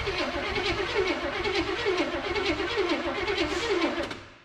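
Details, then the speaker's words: Abandoned 1984 Chevrolet K30 one-ton 454 big block with Quadrajet and HEI, first start attempt after sitting a couple of years: steady rhythmic cranking about one beat per second, no starter grinding or whirring. "oh she's turning over let's give her a little shot of hot sauce fill up the float bowls"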